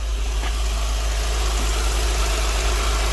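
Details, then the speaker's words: 2004–2008 Acura TL Type S 3.2/3.5 after knock sensor, knock sensor wire and intake plenum gasket replacement; first start shows deep, smooth, steady idle, no ticks, hiss or stumble, no fuel or vacuum leaks: normal idle. "everything looks good and clean there and we are rock and rolling"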